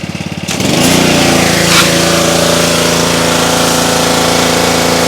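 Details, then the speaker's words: Trash-picked Ryobi RY80940B 3100 psi pressure washer with Honda GCV190 engine: cranks briefly, catches at once and runs steady and even with no misses or surging; no leaks, healthy running. "seems to work just fine pretty cool I don't see any water leaks either it's all dry it runs pretty well nice"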